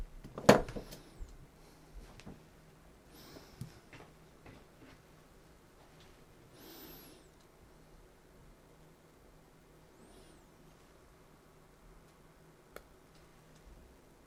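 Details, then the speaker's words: BULVACK 300 A manual-reset circuit breaker bench-tested at 80 A load: after running a while it heats up and trips with a single sharp click, current and downstream voltage drop to zero; it cannot hold 80 A. "I heard small bump. So the breaker disconnected it and current is now 0 because the voltage is also 0. Now connected back because this will heat up, disconnect and connect back."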